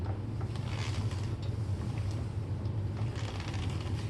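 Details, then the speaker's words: Kirby Diamond Edition vacuum, switched off with the transmission pedal in neutral, rolled by hand: dull, uneven clicking with a low snoring rumble; a worn self-propel transmission is suspected, not confirmed. "Hear that clicking? Almost sounds like it's snoring a little bit."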